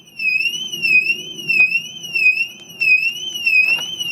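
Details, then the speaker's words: 2006 Mercedes-Benz E350 4matic W211 with alarm siren due for replacement: loud warbling siren rising and falling every second and a half, not stopping until the panic button is pressed again. "it's not stopping hit the pan button again there you go"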